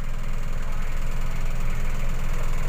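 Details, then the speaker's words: Car AC after a switch was replaced with an electric thermistor module, thermostat turned right; with the engine idling steadily, the compressor clutch engages and the compressor runs with a constant drone. Normal AC compressor running at idle. "kita putar ke kanan oke kompresor sudah menyala"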